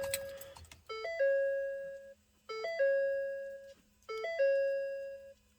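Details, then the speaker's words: 2014 Ford F-350 6.7 Powerstroke at key-on with no PCM communication: a two-tone dash chime repeats about every 1.5 s in a quiet cab, with service AdvanceTrac, low oil pressure, engine over-temp and wrench warnings. No crank. "And as far as warning alarms here, service advanced track, low oil pressure, engine over temp, wrench."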